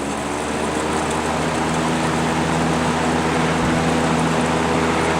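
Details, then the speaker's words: General Electric box fan with worn single bearing after repair (rotor previously hitting stator, clearance made): smooth, even whirring drone on high with no rattle or scrape, slight normal motor vibration; runs healthy, rotor no longer hitting. "it sounds so much nicer that sounds great still got a little bit of vibration just from the motor running but that's normal"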